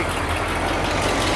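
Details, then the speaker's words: 1973 Cadillac Eldorado Convertible, 500ci big-block V8, just after new carburetor fitted and leaking power steering pump fixed: deep, even idle with no whine or groan from the steering pump; power steering quiet and normal, possible ignition timing issue remains. "well she fired right up seems like Tire steering's qu Qui it I think that's a victory big"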